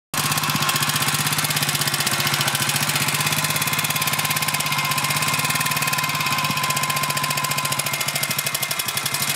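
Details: BSA M20 single-cylinder idling: steady fast tick over the thumper with a faint odd noise that stops and resumes, hard to hear; cause unclear.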